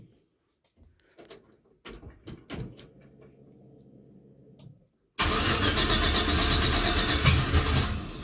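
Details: 1966 Chevy C10 LS swap after fuel pump replacement and a new 225 PSI fuel injection line, with air in the fuel: quiet clicks and faint pump hum, then long loud cranking without firing; owner suspects the fuel setup is bleeding tank pressure.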